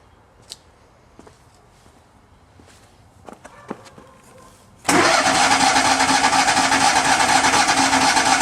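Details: Miller Bobcat 250 welder, gasoline engine, 34.1 hours, unused since July, cranked in January: quiet clatter then loud steady churn as it cranks but never settles into running; cranks, no start, cause not yet found.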